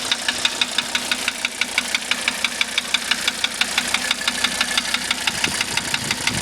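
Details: 1985 Mercedes 300D diesel idling with diesel purge running through it: sharp metallic tick about twice a second, evenly spaced over a quiet idle; steady knock, cause unknown, owner asking for help.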